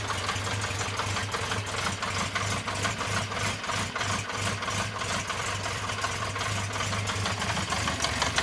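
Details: 1974 Honda CB350 Four, laid up 20 years with refurbished carbs, on choke with fuel on: uneven, lumpy idle with stumbling beat, sounds like only two cylinders running; misfire suspected, cause not confirmed.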